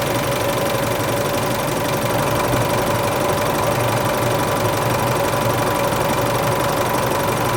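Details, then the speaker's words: Isuzu Euro 4 diesel, first cold start after replacing A/C compressor and alternator belt tensioner pulleys and both belts (slack belts squealed on cold start): usual even clatter, no belt squeal or chirp; fixed, normal cold idle. "แล้วนะจะสังเกตได้ว่าไม่มีเสียงสายพานแล้วนะครับนี่คือการสร้างขึ้นครั้งแรกนะครับ"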